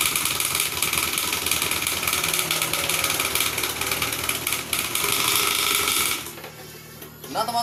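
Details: Honda Scoopy FI with running engine but rear wheel not turning after sudden rough noise while riding: harsh hissy grinding rattle that suddenly drops away; CVT drive belt snapped and shredded.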